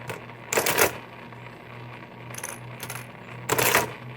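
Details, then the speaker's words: 1923 Marchant EA mechanical calculator during repairs, motor started, adding 55 plus 33 and then 88 minus 22. Two short bursts of quick, even mechanical clatter with a quiet gap between; the carriage cycles cleanly and works. "Let's try adding 33 to that. It's working. Let's try 88 minus 22."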